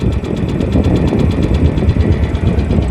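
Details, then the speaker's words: Second-hand Royal Enfield Bullet checked before purchase: deep even single-cylinder idle thump with light internal whirr, no noise from bottom or top end; healthy idle. "बघू शकता कोणत्याही प्रकारचा आवाज नाहीये खालती पण नाही आणि वरती सुद्धा नाहीये"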